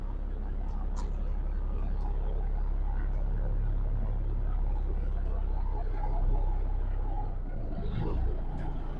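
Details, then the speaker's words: Peterbilt 379 diesel truck at cold idle: deep, low rumble with an uneven, huffing and puffing beat, running rough while cold. White smoke was seen and a viewer suspected a liner consuming antifreeze; cause not confirmed. "Gertrude's cold. So am I. She's huffing and puffing."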